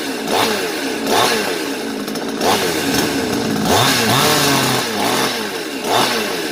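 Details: Svena 5200 chainsaw that would not start, after clearing fuel and adjusting the high-speed screw: crisp two-stroke buzz climbing and falling cleanly through repeated throttle blips without bogging; runs properly.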